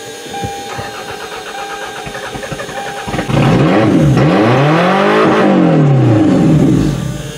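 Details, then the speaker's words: Used Toyota demolition-derby car, sat about a year, restarted on a fresh battery: catches, then runs ragged with sagging, surging revs and dies off throttle; sounds like it is missing on a cylinder, but it runs. "Ooh, this does not sound pretty. It sounds like it's missing on a cylinder. But it runs."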